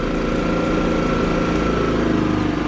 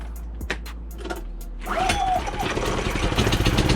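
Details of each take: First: Kipor IG3000/IG3500 inverter generator after replacing its inverter board with a Champion generator board: steady even engine drone lifting smoothly with throttle and settling back without hunting; running normally with output restored. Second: Kipor IG3000/IG3500 inverter generator, first start after fitting a Champion inverter board: several pulls, then catches and runs slightly unevenly before settling to steady drone; rough start, suspected flooding from many pulls.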